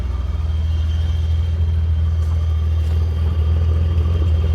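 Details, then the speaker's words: BMW E34 535i 5-speed, just driven in, starting a little inconsistently, running with no exhaust fitted: loud, deep, raw rumble with rapid throbbing pulses at idle and almost no treble; fan clutch and/or water pump look about to fail. "about running if you guys can imagine there ain't no exhaust on this thing but uh let's uh let's let's try to fire it up shall we"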